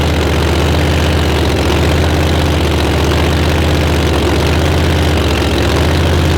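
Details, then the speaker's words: Blown Hemi race engine with dry sump, being started to check timing and lean out cylinders seven and eight, which were spitting: heavy lumpy idle with uneven stumble roughly once a second; misfire on two cylinders. "hear them other two come alive oh yeah it sounded good you could tell it soon as the crank when it went in the header"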